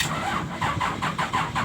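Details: Komatsu PC-200 excavator engine, hard starting with black smoke: rapid, even cranking pulses about seven or eight a second with no catch or firing.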